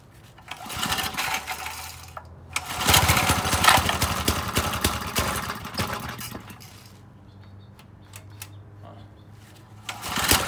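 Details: McLean 3.5 hp Briggs & Stratton walk-behind edger, sat for years, after a carburetor tune-up and oil change, started on choke: the single-cylinder engine fires and runs in surges, rising and falling but keeping going.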